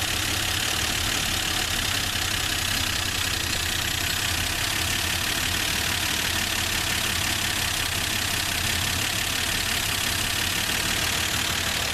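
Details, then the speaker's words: Old Plymouth Valiant, long-forgotten, first start through an old Holley carburetor: steady idle with a hiss of air and a slightly uneven, lumpy beat, running a little rough, cause not pinned down. "so that's all right it's kind of a little bit rning a little rough there"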